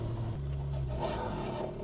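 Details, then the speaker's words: Mk2 GTI with 5-cylinder swap on a test drive, coolant around 80°C (thermostat possibly stuck open): low, uneven idle that stumbles and breaks up briefly, cause not yet clear. Rough idle stumble. "really weird that I'm getting these breakups on like low idle"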